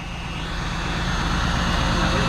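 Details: V8 car on day 3 of a Cannonball Run trip in Arizona; it catches and builds into a deep, even rumble with no misfires, stumbles or ticking; running cleanly.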